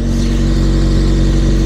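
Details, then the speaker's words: VW Golf revving with loud deep drone and raspy puffing of escaping exhaust; exhaust leak traced to a crack, only noise, not otherwise a problem; manifold or line had been suspected. "est fissuré donc à part que ça fait du bruit ça posera pas de problème pour la prog"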